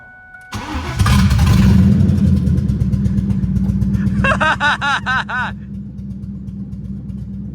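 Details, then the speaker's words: Mustang drift car with the H-pipe removed, effectively open exhaust: a cold start into a loud, lumpy, popping, bubbly idle with a few revs. Sounds like it's missing badly; cause unconfirmed. "It sounds like it's blowing bubbles. That sounds absolutely atrocious. Sounds like it. This sounds so freaking stupid. Dude, this thing sounds like it's missing its ass off."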